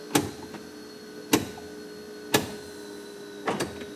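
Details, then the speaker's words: 1974 Datsun 260Z with N42 L28 engine idling, AC switched on and controls changed. Soft clicks and brief hisses about a second apart from the vacuum doors over a faint idle; a small vacuum leak was noted. Normal vacuum HVAC actuator operation. "So that's our actual vacuum fast idle control diaphragm there. So that's working."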